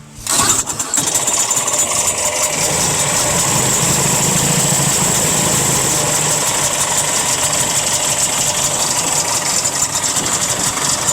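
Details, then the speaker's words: 1967 Ski-Doo two-stroke with Tillotson carburetor, still a little cold, low-speed screw turned in: fires then thin, uneven idle surging and hanging near stalling; idle mixture set too lean, needs richening. "Okay, I'm going to make it go too lean. All right. That's too lean. Too lean right there. It's too lean."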